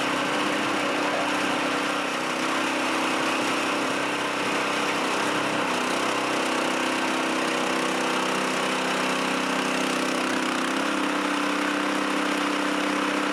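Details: Chinese walk-behind track dumper bought broken at auction, untouched, tipping its water-filled bin: small single-cylinder engine holds a steady, even note with no stumbling or bogging; running fine, bin dumps.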